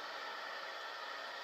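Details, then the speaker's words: Cobra 29 LX CB radio before engine is started: steady, even static hiss with no whine, hum or pulsing, clean normal reception; owner reports a squeal rising with rpm from fuel pump and alternator once the motor runs. "as you can see now it's running fine no noise nothing like that nice and clear"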